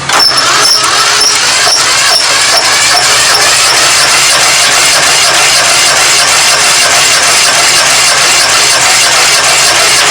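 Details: 1997 Craftsman GT 6000 lawn tractor, Kohler 18 hp 691cc opposed twin, compression test: steady fast cranking with even starter whir and regular compression pulses, reading 120 psi.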